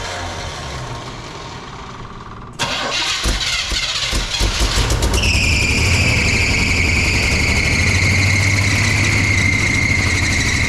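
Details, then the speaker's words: 1975 GMC Jimmy cold start: cranking, then uneven lumpy idle with steady belt squeal; not running correctly, was running on 6 cylinders when acquired, good oil pressure; water pump replaced, alternator possibly original — rough running. "It is not running correctly at all. When I first got it, it was running on 6 cylinders."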